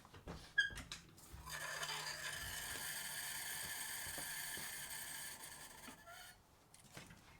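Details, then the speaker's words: Audi after repairs with cheap imported parts, run without coolant: thin, high-pitched whirring with scattered clicks for several seconds and no start; a dead battery barely cranks the engine. "Well, it wanted to crank and it kind of sounded all right, but our battery is dead, guys."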